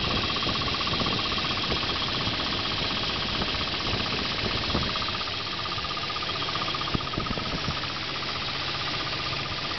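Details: 1989 Volvo 760 Turbo Wagon with 230FT engine from 1994 940 SE, oil squirters, about 110K miles, synthetic oil: uneven tapping knock about three a second after cold start, fading later, worsening over a year; owner suspects bell housing/torque converter area, unconfirmed.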